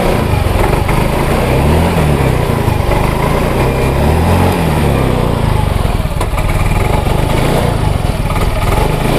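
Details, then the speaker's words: Yamaha Mio J/M3 scooter, good fuel pump pressure, plug and cap fine, no MIL codes, hard starting and dies off throttle: uneven lumpy stumbling idle with wavering revs; misfire traced to a faulty injector nozzle, fixed by replacement. "Nah itu ya teman-teman jadi motor dalam kondisi brebet dan tidak langsung"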